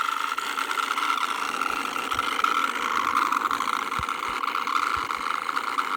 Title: Broken laptop fan sounds like a high pitched distorted fart with vibrating noise under it